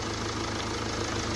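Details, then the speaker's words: 2016 Land Rover Discovery Sport diesel idling with the bonnet open: fast, tinny rattle riding on the engine beat, not from the engine but underneath the car, from a loose heat shield. "it looks like there's no rattling coming from the engine it looks like it's underneath the car"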